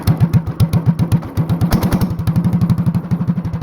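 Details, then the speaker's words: Honda clone single with 10 lb cast-iron flywheel and cam spring removed for full compression, lugging a stout load at about 500 rpm; slow, even chuffing about four beats a second, each firing strong and clean; normal low-speed running. "Oh yeah, that's torque, baby. This thing's pretty awesome. All we had to do is put a 10-pound flywheel on it and mess with the cam a little bit."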